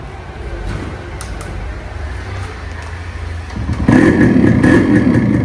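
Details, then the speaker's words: RX two-stroke bike started after fitting a new spark plug (old plug fouled from excess oil/premix): quiet, then engine catches near four seconds and settles into a crisp, even two-stroke buzz. Normal running. "Bike అయితే start అయిపోయింది."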